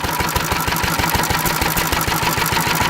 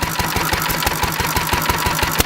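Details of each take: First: Antique stationary engine running on about 60% Sea Foam, 40% gasoline, fuel valve opened about twice the usual: steady, even firing at about three beats a second with no misses; runs smooth and happy. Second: Antique stationary engine running on about 60% SeaFoam and 40% gasoline, fuel valve opened about twice the usual amount: sharp, regular firing knocks and pops over a thin, rattly note as the engine surges and hops; running lean.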